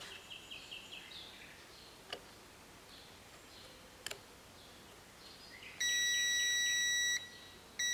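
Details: Mercedes W124 windshield wiper motor, disassembled, tested with a multimeter: steady high continuity beep between the 12 volt supply and an engaged switch position, with birds outdoors; continuity confirmed.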